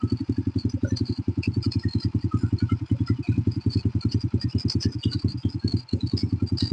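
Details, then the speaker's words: Honda Supra Fit New motorcycle that lost power on hills, after the stuck choke was returned to open: even, steady firing that picks up cleanly on a little throttle, no stumbling; the engine runs normally. "mesinnyaesinnya normal kita besarkan dikit gasnya"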